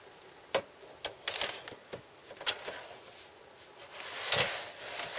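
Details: Newly bought RCA SKT-400 CED videodisc player with a light, irregular, high-pitched clicking and rattling every couple of seconds, like a printer head. It is a mechanism noise of unknown cause.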